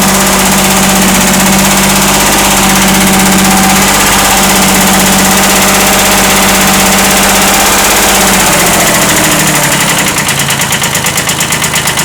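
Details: 1979 Kubota B7100 diesel: light, steady knock about three times a second at idle until shutdown. Owner describes it as a slight rod knock.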